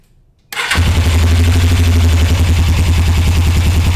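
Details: 1981 Suzuki GS450L idling after clutch cable adjustment for clack-clack noise and hard pull: catches straight away and settles to even steady low idle, no clanking.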